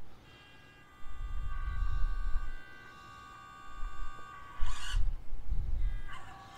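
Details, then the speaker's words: Atlas 6x6 crawler on its loud stock ESC: easing gently onto the throttle, the motor hums in uneven spurts, does nothing, starts to pull, then jumps forward. Jerky low-speed throttle hesitation then surge. "hear that it's trying to go and then and it does that you can see my finger i'm not i'm easing on it easing on it it's doing nothing there it's starting to pull a little and then it jumps"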